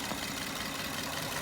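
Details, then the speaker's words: 2003 Lexus ES300 petrol V6 at idle, light, quick click-click-clicking from the top end: lifter tick, stuck or collapsed lifter. "You can kind of hear that click, click, click, click, click, click, click noise."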